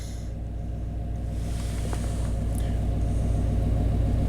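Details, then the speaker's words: 1991 Chevy K1500 4WD, throttle body injection, surging and stalling complaint. After settling following a throttle blip, fuel control leans it until it starves: low, lumpy V8 idle with an uneven beat about three to four per second, a lean misfire at idle. "and there now it's happy and start for fuel right there lien misfire"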